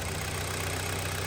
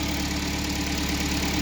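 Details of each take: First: Kia Sportage 3, 2012, one owner, 175,000 km, knocking reported from 155,000, oil 5W30 changed every 7,500–8,000: a warm idle, steady and even with a low drone and no knocks, though the engine has cylinder scoring. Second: 2012 Kia Sportage 3, 175,000 km, first run after an engine rebuild and warming up: a steady, even idle with a smooth, regular beat and no knocking. It started hard at first.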